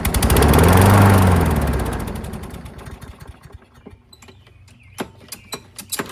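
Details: Curbside Craftsman push mower, 6.75 engine, running as found: engine roars briefly then sags and fades out within about three seconds, leaving clicks; surging and stalling. Owner notes the carburetor looks really bad; cause not confirmed.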